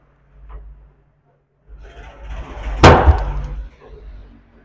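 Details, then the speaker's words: CA18 long-body power amplifier, channel 1 (clip light fault) tested on a series bulb that lights fully: one sharp bang in the speaker at switch-on, then a low hum; DC is present on the channel 1 output. "इस का मतलब है कि हमारा output पर DC आ रहा। Speaker में भी एक बार धमाके की तरह एक आवाज आ रही है।"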